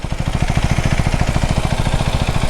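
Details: KTM Duke 390: lumpy idle with heavy uneven chuffing and clatter at about ten beats a second; abnormal engine noise, rider describes it as very bad condition.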